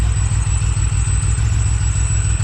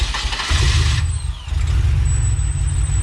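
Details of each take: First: Supercharged Pontiac Bonneville SSEi after vacuum-leak diagnosis, running on its own: thin, steady high whistle above a lumpy idle, eased with slight throttle; traced to an air leak past an off-centre throttle shaft. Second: Supercharged Pontiac Bonneville SSEi engine after a vacuum leak fix (gasket replaced with RTV), first start: it cranks briefly, catches and settles into a steady low idle, running seemingly normal with no leak.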